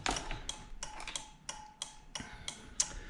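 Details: Homemade wireless trailer brake and light tester, turn signal switched on via remote through an LED flasher relay: sharp light ticks at roughly two per second, evenly spaced over quiet background; flasher cycling normally.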